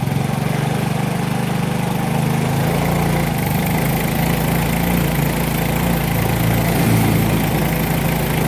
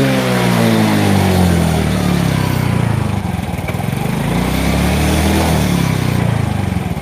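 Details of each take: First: Yamaha Mio J fuel-injected scooter, fine cold but once hot it stumbles (brebet) off idle and bogs on throttle, worse under load; coil and ECU swapped with no change; note flutters instead of picking up cleanly, injector suspected. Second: Yamaha Mio J fuel-injected scooter after swapping in an injector borrowed from another bike (original injector tested normal on the tool but suspected): revs rise and fall smoothly and evenly, no stumble or hesitation; normal free revving.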